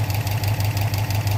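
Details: Subaru Impreza WRX fully warm after an hour of running: a quick, regular low thump at idle from the passenger side around cylinder 1 or 3, with the driver side much less. Owner wonders about piston slap. Knocking at idle, unconfirmed.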